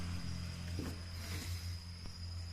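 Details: Honda CB300 after starter-area repair (snapping and whistle on start, cold or warm; magneto, plate and starter gear checked or replaced): steady, even low thump of a single idling smoothly, no cracking or whistle at start; normal idle.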